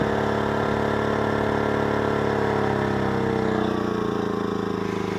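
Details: Predator 2000 portable generator under heavy load recharging a Zendure SuperBase Pro 2000 battery; steady, even drone that sags slightly in pitch as the load bites, pulling hard but running smoothly.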